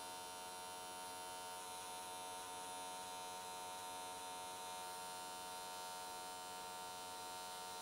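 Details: AC TIG welding an S13 catch can at 95 Hz square wave, new settings tried to smooth things out: quiet, steady buzzing hum, even tone, no crackle or sputter. Normal, stable arc; whole weld done in one session.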